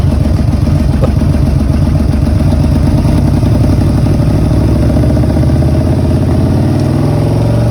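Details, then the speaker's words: Yamaha V-Max 1200 V4 running after stator and rectifier replacement and recent carburetor cleaning: steady running with a lumpy, uneven exhaust pulse instead of a smooth drone; carburetors out of sync, synchronization planned. "et pour les puristes du Vmax on peut entendre que ce dernier voilà nécessite une synchro que je ferai très prochainement"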